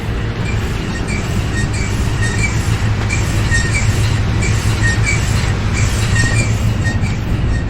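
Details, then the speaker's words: Toyota Tundra after new brakes and rotors: faint high scrape every second or so tracking wheel speed under road rumble, absent when braking or turning sharply, louder on one side; rotational rub, source unconfirmed. "We still have a bunch of noise up there. Where's that noise coming from, Kyle? Yeah. Mystery noises in a thousand mile trip don't mix. This side's way louder, though."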